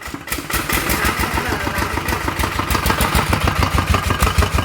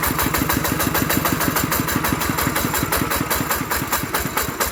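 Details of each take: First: Thai ET 110 single-cylinder diesel at full throttle with white smoke: heavy hard metallic knocking about three times a second; suspected piston knock, possibly a broken connecting rod or melted crankshaft bearing. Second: Single-cylinder ET 110 diesel after rebuild for a loud knocking noise (connecting rod/bearing or crankshaft suspected): even, steady thumping beat with no knock or rattle, now running well.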